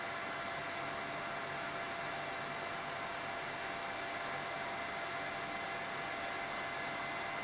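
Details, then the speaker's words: Replacement fan in a mini heater, running on high drawing around 450 watts: a smooth, even airy whoosh with a faint steady tone and no rattle or rubbing; the fan runs healthy. "So, this is the replacement fan. We're on high and we're going to settle down somewhere around 450 watts. That's high speed."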